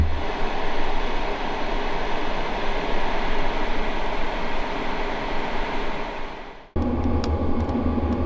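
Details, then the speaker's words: H-Calorie Toolbox 2S diesel heater, cold start during its quick start cycle: steady rushing combustion roar with uneven low buffeting that smooths as the burn heats up, then a clean cut and quieter run; normal startup. "Again, we're firing up from a cold start here, and it goes through its quick start cycle. The buffeting in the combustion chamber clearly audible during startup and then smoothing out shortly after as the burn heats up."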